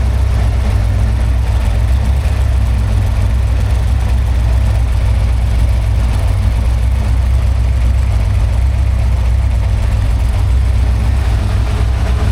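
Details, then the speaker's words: Freshly built 347 stroker small-block Ford, carbureted, on a run stand at first start-up, timing being set around 14 degrees, aluminum flywheel, carb still cold: deep, even V8 burble at a steady idle, no ticks, knocks or stumbles; smooth, healthy. "There is like zero engine noise. Yeah. What? pretty smooth, too."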